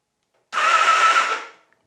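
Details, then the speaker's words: Honda Nighthawk being revived, in neutral with spark plugs out: about a second of smooth, even starter whirring with no clunks or grinding, spinning the engine freely to circulate old oil; healthy normal cranking. "that sounds really healthy actually. It smells disgusting because it's pushing all that old stuff up and around through the pistons."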